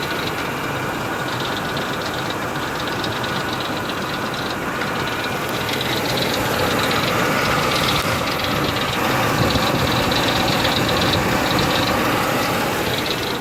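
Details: 2003 Ford Expedition at idle: even idle with a light, quick tick about three to four per second; owner suspects a pulley and hopes it's not internal, source unconfirmed.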